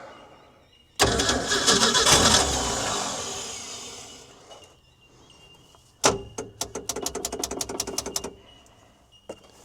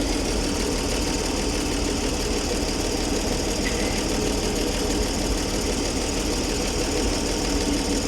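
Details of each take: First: Ford D Series petrol fire truck, first start after 16 years sitting, with upper cylinder lubricant added: a long cranking rush, then sharp pops near four a second as it half-catches. Misfiring, sneezing start; the owner suspects a stuck valve, flooding or lost spark. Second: Ford D Series petrol six-cylinder fire truck, running after sitting 16 years: a steady, even idle with no knocks, misses or tapping. All six cylinders firing, good oil pressure, no smoke or exhaust leaks. Normal idle.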